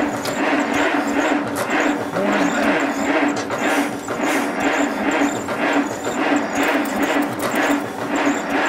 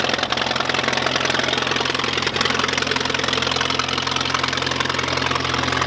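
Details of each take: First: 1951 Allis Chalmers WD tractor, not run in at least 10 years, cranking with no start; slow, even cranking with starter whine and no firing, fuel reaching but suspected not getting through the carburetor, manifold leaks noted, carburetor probably needing cleaning. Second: 1951 Allis Chalmers WD tractor running after first start in at least 10 years, new coil and points fitted; steady, even beat of about 160 pulses a minute with mid-pitched exhaust chatter at constant speed, normal running.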